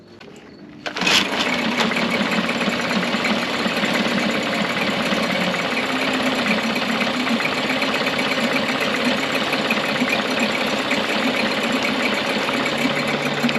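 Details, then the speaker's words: Free Mercury two-stroke outboard after carburetor rebuild, water pump service and float bowl refitted correctly, idle mixture set one and a half turns out: catches after about a second, then even buzzy idle, no stumbling or surging; normal running. "the motor sounds pretty good"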